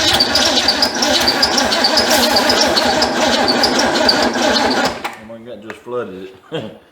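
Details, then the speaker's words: Ford Fairmont that sat 35 years, in cold weather, would not start: long even cranking for about five seconds without a single catch, then it drops off; the engine is flooded. "let's see if we can make this thing run it just it don't want to run I don't know what's going on with it no don't know what's wrong with it"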